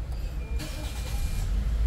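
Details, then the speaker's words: 2013 Toyota Altis after replacing the broken engine support bracket that caused dashboard vibration: engine catches cleanly and settles into a low, even hum with no shake; vibration gone, idle slightly low after battery negative disconnected. "wala naung vibration wala na yung vibration parang bumalik sa dati pero ngayon mga guys"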